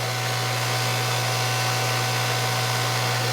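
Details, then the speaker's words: Hydro-Spa Princess hot tub pump with Hydro-Quip CS800-A1 pack on high speed, heater off, drawing 12 A: loud steady hum with rough gritty hiss and thin whine; worn pump motor bearing, likely damaged by a leak there. "so we got a leak right here you fix that that's probably that leak is probably what damaged the bearing"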